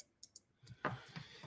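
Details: Morningstar Relay Interface teardown, ring input connected by crocodile clip to switch the second relay, LED lights: two crisp little ticks, then fumbling clatter; small relay switching on cleanly.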